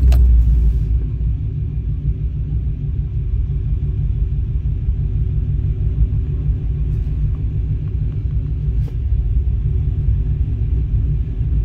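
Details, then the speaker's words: Cammed GM LT 5.3 L V8 truck after tuning: deep, steady rumble with even beat, no hunting or stumbling; smooth settled idle, slight fluctuation considered normal. "got her a nice idle now and you'll never hold a steady idle even even in a stock truck is going to fluctuate a little bit like this"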